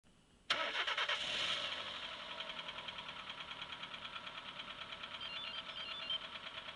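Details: Engine knock: after start, a steady tapping knock about three per second rides over the idle, coming from inside the engine.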